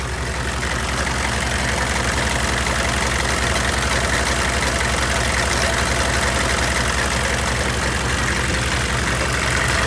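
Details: GMC/Chevy OBS truck 6.5L diesel, 171,944 miles with heavy idle time, idling with a rough loose clacking about three per second over the diesel clatter at the crank front; shiny mark shows a pulley slapping around, belt too short.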